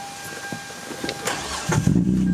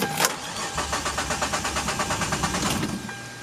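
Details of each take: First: Hyundai Tiburon starting after charcoal canister components and fuel pump replacement, without priming first; a couple seconds of cranking, then it fires and holds a steady, even run, starting normally. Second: Hyundai Tiburon after a new fuel pump and charcoal canister parts were fitted. The starter churns steadily for about three seconds without the engine catching because the new pump wasn't primed, then it starts.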